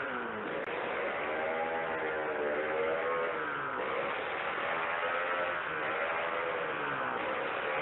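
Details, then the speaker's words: Rusty 440 Hirth two-stroke snowmobile engine with a swapped-in carb and ignition, plugs weak or broken: buzzy note rising and falling smoothly with the throttle, firing cleanly; runs normally, with a good lug sound even with plugs out, showing good compression. "She makes a good lug lug lug sound even with the spark plugs open, so she's got good compression."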